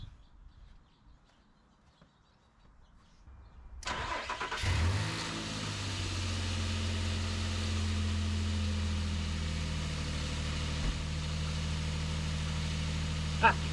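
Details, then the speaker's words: 2008 Nissan Frontier VQ40 V6, first startup after installing new Z1 high-energy coil packs. Starter cranks briefly, the engine catches and settles into an even idle with no misfire. Normal idle. "Looks good, running smooth."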